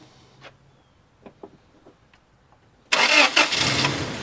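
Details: 1996 Toyota Tacoma with a crank-start-stall fault and cheap customer-installed parts: faint clicks, then it catches with a loud rush and sags; spark confirmed, injector pulse suspected of cutting out after two seconds.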